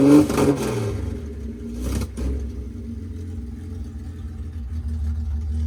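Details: 1972 Datsun 240Z L24 on open header, first started with ether then running on gasoline with uncleaned carburetors; a rev blip then a low, loud, even idle on all six; normal idle.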